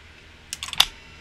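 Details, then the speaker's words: Mercedes non-ASR throttle body actuator after cleaning and repair, bench-tested while energized for two to three days; quick cluster of sharp clicks as it is re-energized and corrects idle speed, responding normally. "on so when it's energized like such that means that it is correcting your idle speed right now"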